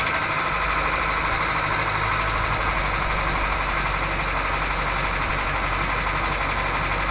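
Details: 2008 Kia Rio, sat unrunning three years, first start after starter replacement: engine catches and settles into a harsh rapid rattling knock, about four per second, over a rough idle; knocking at start-up, source unclear.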